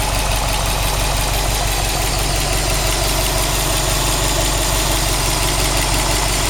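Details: Subaru WRX STI after engine replacement, new engine 800 km, all original parts, no tuning, 5W40 oil, 2 bar oil pressure, 85°C oil, 21°C air: loud idle with regular tapping about three per second; abnormal noise, cause unclear.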